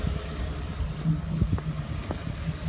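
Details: 2014 Ford F-150 5.0 V8, 54,000 miles, ticking began around 52,000 and worsened, now rough idle after dealer visit: low uneven idle with faint light ticks; cause unknown.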